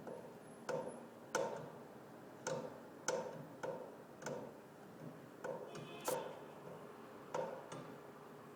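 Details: Sharp, uneven knocks roughly every one to two seconds in a quiet room, with no engine or flow noise; pipes banging, cause unknown.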